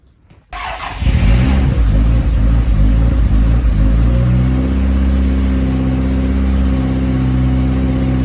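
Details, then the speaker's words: Home-built Celica GT-Four engine after first successful start: fires, flares briefly, then settles into a smooth, even idle with no knocking; turbo whir may be audible, some smoke from burning off oil and WD-40; running normally. "It's running sweet as a nut, and up close the engine is purring. There's no knocking, no concerning sounds. Really does sound nice."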